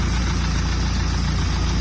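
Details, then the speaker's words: Carbureted boat engine started without choke, running on a water hose, warming up, throttle returned to neutral for slightly lower idle; low, steady thrumming with even beat, no knocks or stumbles; healthy idle, running good. "slam it back in neutral little idle a little bit lower but this isn't bad it's running good"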